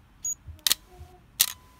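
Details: Nikon EM film camera shutter test: two crisp, clean shutter releases about three-quarters of a second apart with no drag or hesitation; a working shutter.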